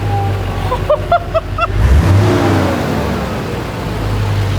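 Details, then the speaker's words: Duramax diesel swapped into a Patrol, first start after new injectors fitted and diesel added: fired up easily, deep even rumble picks up cleanly on rev with no knocks or misses; normal diesel running. "listen to it listen oh my god yes no catastrophic failures it's running oh like listen to this thing it sounds amazing"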